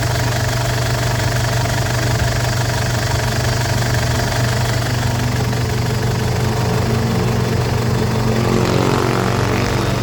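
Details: Ford Everest diesel after no-start fixed by replacing timing belt, glow plugs and rocker arms: steady even diesel clatter at idle with firm low rumble, no misses or knocks; runs smoothly.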